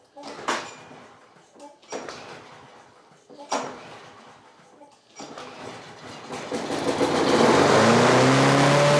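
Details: Craftsman 6.5 HP 21-inch push mower, trash-picked, first start: a few cranking knocks, then the engine catches and races unchecked because the carburetor governor arm is stuck; later freed with PB Blaster.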